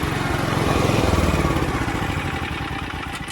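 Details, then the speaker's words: Mitsubishi MGE 4000 generator after carburetor cleaning and fresh gasoline, auto idle on: small petrol engine puttering at a steady, even idle, no sputtering or surging; produces about 100 volts. "With the auto idle on, it runs fine now. It's not sputtering out anymore."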